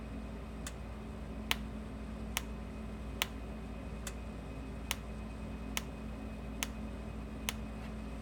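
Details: Sens O Matic electric fence energizer after repair, running on manual mode at about 7,000–8,000 volts with a spark-jump test to ground: sharp snapping pops about every 0.85 seconds over a quiet room hum, one per pulse; strong, regular spark, normal pulse.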